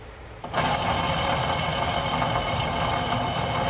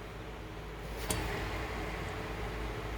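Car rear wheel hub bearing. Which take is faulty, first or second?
first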